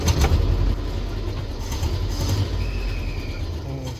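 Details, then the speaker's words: Land Rover started after reassembly with a little choke and some throttle. A deep, uneven low rumble with an irregular beat, likened to a tractor; the engine is still misfiring. "doesn't sound very good still misfiring man that sounds pretty bad still"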